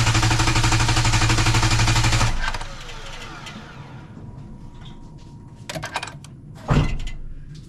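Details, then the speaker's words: 3.8-liter V6 in clear-flood mode, fifth long crank from the NovSight G5 6000A jump starter after reconnecting it: brisk, even cranking about four turns a second for two seconds, no firing; starter spins the engine strongly. "Okay, so that was five good long cranks. Um, again, this is a 3.8 8 liter V6 engine with good five with five good long cranks."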